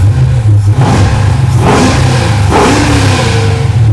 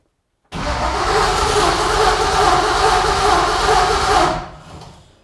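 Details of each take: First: Junkyard 6.0 LS V8 (cheap shortblock, used heads, cam kit) in a '64 Nova with a new Tremec TKX and freshly installed exhaust and mufflers; deep, strong note swelling cleanly with no knocks or misses; normal, healthy revving. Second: Junkyard 6.0 LS V8 in a 1964 Nova, cranking about four seconds without firing: a crank-no-start because the chosen power wire cuts off during cranking.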